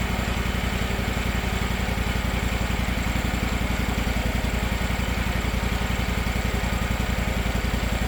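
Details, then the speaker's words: Gravely 260Z zero-turn mower, about 2006, Kawasaki FD750D V-twin, new aftermarket carburetor fitted and idle screw reset, not fully warmed up: steady idle of about 220 regular low pulses a minute, no surging or hunting. "Burn like a kitten. No surging at all. Of course, not totally warmed up yet, but sounds pretty good. Sounds great."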